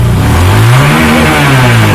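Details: Honda Verza FI single-cylinder motorcycle after charging-system repair, battery voltage now rising from 13.6 V toward 14–14.5 V: engine revs up and settles smoothly, clean, steady note with no knocks or misses; running healthy.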